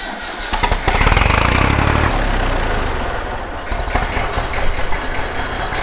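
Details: Massey Ferguson 35X diesel tractor, cold start: brief cranking, then catches with a deep rapid fairly even chug settling toward idle; normal cold start and idle.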